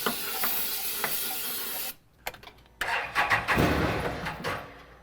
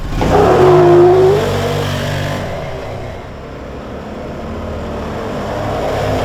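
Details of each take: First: 2016 Can-Am Defender HD10 XT abandoned about five years in the Arizona desert: hissing starting-fluid spray, a pause, then the engine catches and runs a few rough seconds before fading, confirming fuel starvation; the electric fuel pump leaks. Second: 2016 Can-Am Defender HD10 XT, abandoned in the desert for about five years, running on old gas: the V-twin revs up cleanly under load and eases off smoothly with no stumble; normal engine under acceleration.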